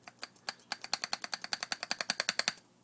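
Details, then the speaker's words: Old driver-side inner tie rod from 1990 Toyota SR5 pickup 2WD, rocked by hand, grease leaking from boot, moves far too easily: quick sharp clicks about three a second; worn inner tie rod. "I could just go back and forth pretty easily makes that noise the grease was coming out of the boot so basic uh basically these have a universal joint inside I mean they're supposed to move but they're not supposed to move this easily"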